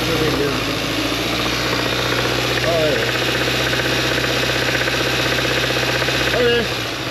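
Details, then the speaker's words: Hyundai towed in with only about half to one quart of oil in the engine: irregular deep knocking under a rough idle. Engine knock from oil starvation, likely bearing damage. "got a nice knock in the motor again see if you get the"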